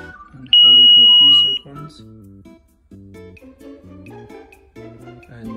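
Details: ADT home alarm keypad beeping ever since occupants moved in, nothing actually faulty, silenced by pressing a single button: one loud steady high-pitched beep about a second long over background music.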